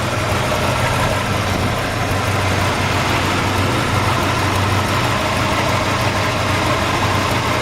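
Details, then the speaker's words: 1961 Chrysler 300G, original engine and transmission, after frame-off restoration work, old fuel drained, tune-up and cleaned carburetors: steady, even low idle rumble with no misses, knocks or ticks; exhaust sounds nice. "we go ahead and shut it back off let's see if we can hear the exhaust sounds nice"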